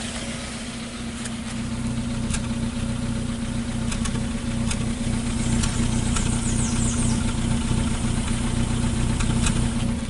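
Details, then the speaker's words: 2015 Hyundai Accent with codes P0335 and P2188, dead tach, loss of acceleration, running rich and stalling, heard at the muffler at idle: uneven, lumpy, stumbling exhaust pulse like a misfire. Suspected crank sensor or dirty MAP sensor. "yeah it definitely sound like it has a misfire but it's not misfiring like that"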